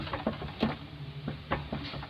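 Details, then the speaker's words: Hyundai i10, right front wheel rocked by hand: scattered dull knocks, about four in two seconds, from play in the right lower arm ball joint; complaint is a rattle over bumps, humps and rough roads. "കിടുക്കിടുക്കിടുക്കെന്നുള്ള ഈ ഒരു sound നമ്മൾ കട്ടറിൽ പോകുമ്പോൾ, ചെറിയ കട്ടറിലൊക്കെ ചാടുമ്പോൾ, hump ചാടുമ്പോഴൊക്കെ ഈ ഒരു sound നമുക്ക് നല്ലതുപോലെ feel ചെയ്യും."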